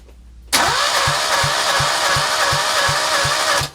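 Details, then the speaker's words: Citroën 2CV spare engine unknown after years of storage, throttle wide open, no ignition yet: the starter spins evenly with regular thumps about three a second; one cylinder has no compression while the other chuffs; cranks but doesn't start. "Well, it's interesting, that doesn't seem to have any compression at all, but that one's chuffing away."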